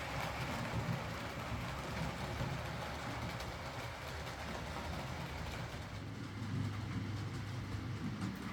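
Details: Used Hornby R2959 Thompson L1 2-6-4T on the layout after the fix: quiet, smooth motor hum, light rail clatter and an even pace with no grinding. Greasing the worm gear cured the earlier forward grinding caused by gearbox play.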